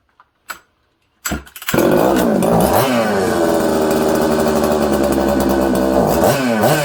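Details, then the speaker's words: Husqvarna 266XP chainsaw: revs around 4000–5000 rpm, pitch wanders up and down, nearly dies on throttle then lights up again; owner says it is loading up with fuel as if it had an air leak. "it's all over the place it sounds good it's crisp but then it's not uh it's loading up with fuel like it has an air leak"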